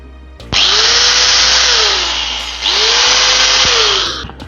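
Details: Angle grinder after repair for an alarming noise, opened, old jelly-like grease wiped, disassembled further and reassembled; two short runs spin up quickly to a steady even high whir and wind down smoothly, no rattle or grinding.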